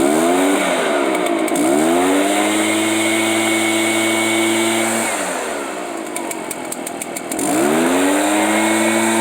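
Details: Warmed-up Echo PB-500H backpack blower two-stroke: revs up then sags twice, pitch dropping and recovering unevenly under throttle; intermittent bogging, cause not yet found, fuel filter check planned.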